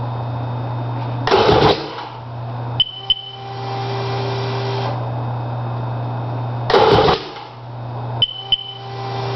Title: seadoo gtx di no start